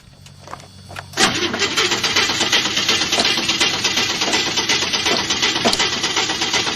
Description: The engine has a real bouncy rhythm that makes for some sexy cranking. After quite a few attempts, it comes to life!